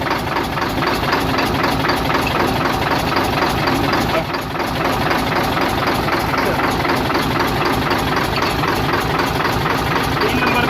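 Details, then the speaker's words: Hino Euro diesel truck at idle with smoke and missing fault: heavy uneven stumbling knock; injector-line checks show only cylinders 3, 5 and 6 working, the rest dead, misfire with several cylinders dead. "यह जी इसमें अभी जो काम कर रहे ना वह तीन नंबर पांच नंबर छह नंबर ठीक है यह काम कर रहें हैं बाकी काम नहीं कर रही है"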